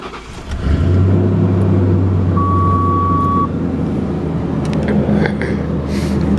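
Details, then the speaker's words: 1995 Lincoln Town Car V8 after exhaust repairs, first cats on header retained, others hollowed out, through Flowmasters with 2.5-inch tail tips: deep, steady burble and smooth low rumble, no ticks, rattles or leaks; normal healthy exhaust note. "And it still has the first set of cats, but the others have been hollowed out. And so that combination of the cats on the header and then the Flowmasters gives you uh well, this sound."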